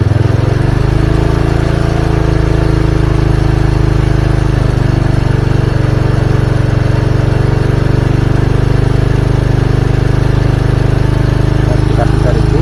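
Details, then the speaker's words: Old Honda Supra carbureted motorcycle (rich, black plugs, hard morning starts) after jet and needle repair, main jet wrapped with one fibre strand and pilot jet without: it idles with a busy, slightly uneven chuff while the idle screw is turned for the highest stable rpm and revs are raised toward 3000. "kita cari putaran tertinggi kita tucup dulu Bi putarannya harus turun normal turun jangan sampai mati kita balik putar ke kiri juga nyari putaran tertinggi ya"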